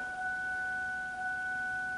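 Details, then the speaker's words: Mercury Sable with newly replaced fuel pump, key cycled once: a steady mid-pitched hum with a higher overtone holds evenly for two seconds, the new fuel pump priming normally. "I just want you to cycle the key once. Okay. Alright, listen close. Hear that fuel pump kick on?"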